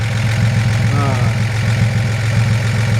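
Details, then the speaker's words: 1941 Chevrolet Business Coupe, likely newer mid-1950s 235 six, dual exhaust, one muffler holed: low, steady idle with even soft exhaust pulse, no knocks or ticks; runs perfect, normal idle. "It sounds like it runs perfect. It runs down the road with a good strength."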